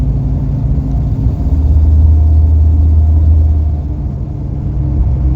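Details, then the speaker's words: Dana 60 front axle truck after wheel bearing and ball joint replacement, cruising at 40 mph: only low even tire and road rumble, no bearing growl or hum; wheel bearing noise gone. "I can already tell you the wheel bearing noise is gone, just going 40 miles an hour. That's pretty nice. All I can hear is tire noise now."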